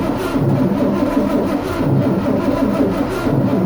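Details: Starter cranks the long-dormant diesel machine in neutral, unrun for 23 years, in slow uneven pulses trying to move fuel after a fuel line fitting was replaced, but it never fires; suspected clog in fuel delivery.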